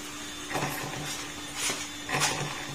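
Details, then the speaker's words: Yamaha YTX 125 engine after overhaul with all bearings and connecting rod replaced but noise persisting; clutch housing turned slowly by hand with covers off, gears give a dry rasping catch about every half second where worn clutch housing gear teeth snag. "ba parang ganon na ung tunog niya nung umaandar yung nakakabit pa ung mga cover"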